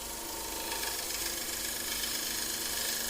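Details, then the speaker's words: Bowl gouge on a faceplate-mounted bowl, cutting in the opposite direction turned in towards the lathe: steady hissing cut with even soft ticking of the spinning blank and no ragged tearing; clean cut without torn fibres. "and i do the opposite i turn my right it in towards the lathe so yeah now i've not touring the fibers it's fine"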